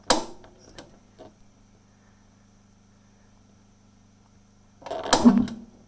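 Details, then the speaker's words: Diamond LP propane refrigerator burner, lighting with switch on, thermostat at 3, gas safety valve held and igniter snapped: faint hum, then a rough whoomp-bark about five seconds in as it tries to light; gauge still in the white. Owner attributes the barking to insufficient fuel. "Okay, hear that bark? That's it trying to light."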